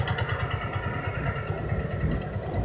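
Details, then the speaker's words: Yamaha Vixion with radiator coolant mixed into engine oil from failed cooling circulation (water pump or cover gasket): dense, rough clattering idle with gritty low rumble; worn engine bearings. "coba teman perhatikan suaranya suaranya cukup kasar sampai nggak cukup kasar seperti itulah kawan-kawan suaranya yang disebabkan oleh sirkulasi air yang tidak tidak sempurna"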